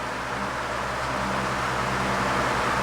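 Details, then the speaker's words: 12-inch Ambassador (Lasko/Galaxy) oscillating table fan after cleaning and servicing: steady even airflow whoosh over a constant motor hum, much quieter than before; thrust washers wearing, slight shaft rattle noted. "And listen to the difference in the sound between now and what it was before. I'll put that clip in from before now. Huge difference in the sound."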